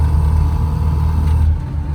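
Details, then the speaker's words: 1992 Rover Mini Cooper, 1.3 L single-point injection 4-cylinder, driving: deep steady rumble swelling as car pulls, throaty intake roar, no knocks; healthy normal intake noise. "But yeah, get a little bit of that intake noise."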